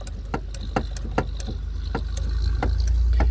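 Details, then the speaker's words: Mercury Grand Marquis with engine revving: sharp, irregular thumps about four a second; the loose throttle cable lets the gas pedal hit the floorboard. "so the throttle cable, if you notice, it's loose like hear that thumping. That's the gas pedal hitting the floorboard."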